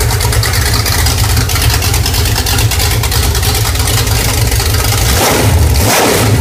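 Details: New Pontiac budget stroker crate engine, 6X heads, Performer RPM intake, mild flat tappet cam, camshaft already broken in: deep, loud V8 rumble with mild lope, steady and even, no misses or knocks; runs well.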